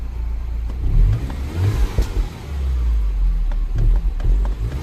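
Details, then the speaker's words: 2007 Mini Cooper S from ice-cold start, popping and missing: lumpy, surging note that stumbles and nearly cuts out as the throttle is blipped; rough running, owner suspects a vacuum leak or PCV valve, not confirmed. "I just managed to make it almost cut out just by pressing the throttle. So I can do it again."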